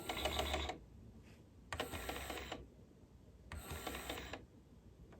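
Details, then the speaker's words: Cassette deck (heads already checked), reel drive tested on power-up: faint clicking bursts about every two seconds with no steady spin. The reel drive only twitches, and an idler replacement is judged to be needed. "It twitches, but that's about all it does. So, yes, needs an idler."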